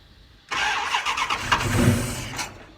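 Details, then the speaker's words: Dodge Challenger V8 first start after fuel system refill, throttle blades not yet adjusted: starter churns, engine catches with uneven lumpy firing and rough revs; hard start, owner suspects timing a little advanced. "The timing sounds like she's a little advanced."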